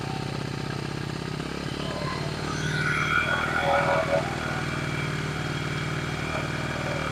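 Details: 1974 Honda XR75 small single with new ignition coil, on choke, idle screw nearly all the way out, mixture screw one turn out: fast steady idle that never settles; idle too high, won't adjust down.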